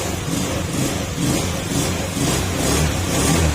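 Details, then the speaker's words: Honda Scoopy scooter after crankshaft (connecting rod/crankshaft assembly) replacement fixed a noisy engine: small single revving in gentle waves with a steady even hum, very quiet, no rattle or knock; healthy engine revving after repair. "Ayun oh. Tahimik na tahimik. Mas maingay pa yung katabi natin kasi ddb yan."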